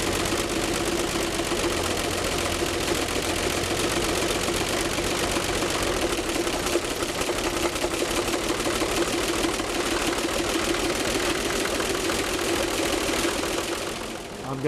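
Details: 1957 Chevy 235 six, junkyard engine fitted with solid lifters, Offenhauser dual-single intake, 1954 Corvette exhaust, about 3,500 hours run: steady idle with fast, even valve tick on top; no knocking or grinding, normal running.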